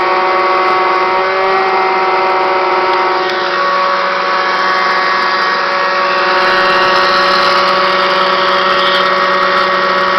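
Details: Kirby Classic 1-CR vacuum, used only three times before bearings failed, growing louder and shakier: loud constant motor roar with steady whining tones over a rough hum throughout; worn motor bearings.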